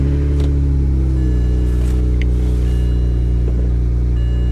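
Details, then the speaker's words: BMW at salvage auction, low on coolant, briefly run: steady, even idle with smooth low drone, no knocks, misses or squeals; no warning lights besides low coolant; engine sounds healthy. "it runs good no coolant or low coolant so we're not going to run this long engine sounds good there's no warning lights other than low coolant"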